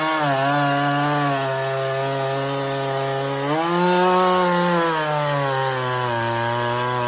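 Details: Stihl 024 chainsaw after carb tuning and makeshift aftermarket air filter, cutting firewood; high steady two-stroke scream dips slightly as the bar bites and recovers, no stutter; sounds good up high, barely missing; normal running under load.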